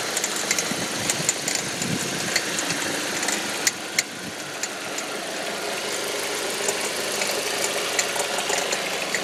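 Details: 2005 Audi 1.8T: light, irregular popcorn-like crackling rattle only under load in gear, seemingly near the alternator, with no check engine or oil pressure warning; owner wonders about water pump or alternator; cause unknown.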